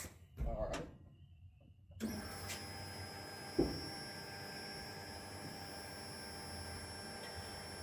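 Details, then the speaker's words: Key-on priming on a 58 GMC pickup with big block 454, new FAST EZ 2.0 throttle body injection, rear fuel cell and new lines, after fixing fitting leaks: thin steady high hum of the electric fuel pump running normally. "I hear the fuel pump running. Everything else seems to be okay."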